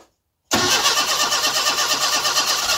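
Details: Classic Mini engine's first start after a distributor tweak, compression spot on; after silence it catches at once into a steady, even beat with no misses, on the little fuel in the carb.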